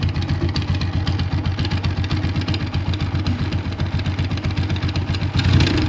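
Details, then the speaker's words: TVS Apache RTR 160 single-cylinder at idle with a rough, uneven knock about four times a second over the exhaust; the oil is drained and the magneto-side cover is to be opened to find the cause. "তো এই আওয়াজটা ঠিক করার জন্য যেহেতু আমার engine side খুলতে হবে, ম্যাগনেট সাইডটা, তো তার জন্য আমি কিন্তু মোবিলটা ড্রেন করে নিয়েছি।"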